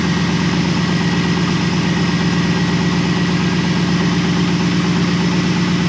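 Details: 2001 Pontiac Trans Am WS6 LS V8 idling after replacing the starter (owner suspected failed solenoid kept cranking after start) with an AC Delco unit: steady, even low rumble, no misses, knocks or starter grind; idles smoothly.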